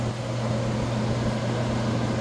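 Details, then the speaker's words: 8000 BTU Frigidaire window air conditioner, after a deep clean and water wash of clogged fins, fan on low: steady, even rush of air with a low constant hum, no rattles or scraping; fan running normally. "You can hear the fans. It's a lot of air is on low right now."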